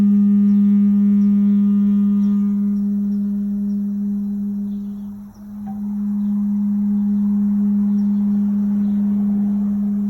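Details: 2015 A.O. Smith gas water heater: loud, steady low hum with a ringing, bowl-like tone and vibration, starting shortly after the burner fires, fading, then recurring.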